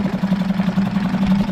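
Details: Suzuki DF5A four-stroke outboard (2017 onwards), after full service, internal tank, choke set, good cooling water flow: small engine puttering at idle with an even, steady beat and no misses; normal idle.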